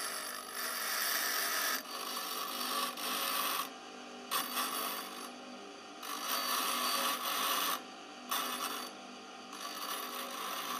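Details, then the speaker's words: Dressing the grinding machine's stone with a dresser: a dry, even rasp in repeated strokes across the spinning stone, showing full, even contact along its width. "now we have a good contact through the stone we take off the drill the the dresser"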